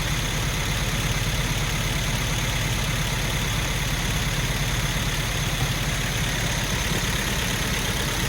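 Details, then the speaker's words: Hemi 5.7 V8 first start after MDS lifter work, no coolant in yet so run only briefly: steady even low rumble, no knocks or ticks; runs and sounds good. "we got a running engine whatever you do don't put your hands over there get there running pretty good runs good sounds good"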